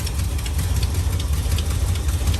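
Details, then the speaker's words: Carbureted V8 truck idling on its first start after fuel system work, deep rumble with a sharp, regular ticking puff on top from an exhaust leak; valve cover leaks also noted. "We got some leaks to fix, which I knew about it, but I haven't really got to hear it run. Got an exhaust leak over there."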